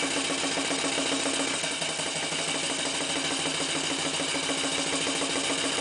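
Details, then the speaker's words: Clarkson inverted steam engine with Stephenson valve gear on a PMR boiler, first steaming, running in reverse: airy steam hiss with uneven bubbling and gurgling as condensate clears the exhaust; normal running. "So the engine is running again now in reverse, flywheel going anti-clockwise. You can see hear the bubbling and the gurgling as the condensate clears the exhaust"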